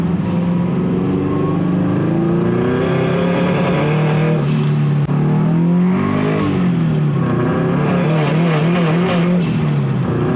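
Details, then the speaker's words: Turbo Subaru BRZ on new e-tune, attempting a logged 2,000-to-redline pull in rain: engine note climbs then repeatedly sags and chops with blow-off/wastegate hiss; traction control cutting power on wet road. "But every time I got on it, you could hear the blow off out of the wastegate cut. You could hear the traction control cutting power to it."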